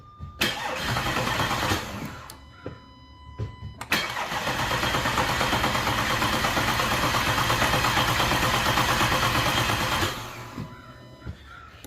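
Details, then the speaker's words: Audi A5/A6 3.2L after major repair for internal coolant leaks, fresh oil, fuel system fuse pulled: even starter cranking about three compression beats a second, never catching, to build oil pressure; cranking without start, fuel disabled for oil priming. "it's going to go a crank but no start on this it's going to build up pressure on the oil so make sure take out the fuse for the fuel system disable the fuse so they won't crank"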